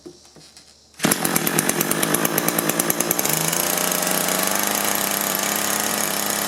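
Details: Echo two-stroke hedge trimmer with a replaced engine that only ran on choke: after the fuel feed is fixed and the bulb is firm, it catches and buzzes high but stays flat and won't throttle up.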